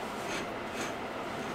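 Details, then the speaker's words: 2008 Honda CR-V rear wheel bearing, brake removed, hub turned by hand: a faint dry gritty rasp instead of a smooth spin. The bearing is badly worn and to be replaced. "all right everybody we've got the break off and i'm down here to what my problem is and look at that i don't know if you can really hear that or not but that is a really bad"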